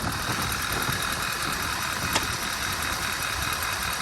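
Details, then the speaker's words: 2012 Audi A4 quattro 2.0T, 113,000 miles, idling: uneven low stumble under steady hiss, engine shaking, check engine light flashing for catalyst-damaging misfire; dead cylinder suspected. "ah look at this thing shaking it's shaking pretty good what's wrong with it"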